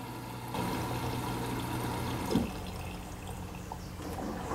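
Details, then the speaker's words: Midea HealthGuard Smart 13kg (MF200) washer on Cama e Banho cycle, load of white cotton shirts: valve click, then soft steady hiss and trickle of water entering right after start for the pre-wash; normal fill. "Vou tocar no [Música] iniciar ela já iniciou a entrada de água para fazer a pré-lavagem"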